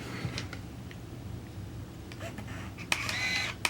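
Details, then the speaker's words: Olympus Stylus 105 35mm point-and-shoot film camera, flash set off: crisp shutter click, brief motor whir and second click, no flash whine; normal shutter release. "Okay, shutter worked and no flash."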